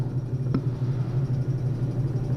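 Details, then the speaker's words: Two-cylinder, oil-bath tractor-trailer air compressor used as a workshop vacuum pump, not yet fitted with its own motor: steady low hum with fast, even popping pulses and one sharp pop early on; pulling vacuum normally. "And I have a feeling it would give you tremendous vacuum suction because you can hear it popping like crazy. It's 2 cylinders."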